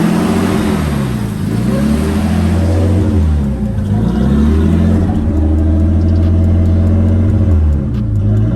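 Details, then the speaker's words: Nissan Skyline R32 with freshly rebuilt engine, about 100 miles on it; erratic high idle around 1700 rpm, swinging between 2000 and 1000 without settling, more often on morning drives; idle hunting. "it's idling at like 1700 which is really high sometimes it's going from 2000 to 1000 up to two thousand i'm down to one it's like just keeps doing"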